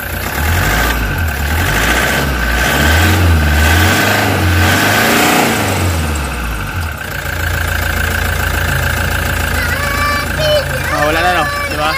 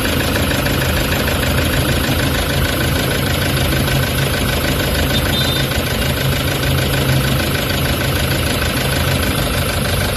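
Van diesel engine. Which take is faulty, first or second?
second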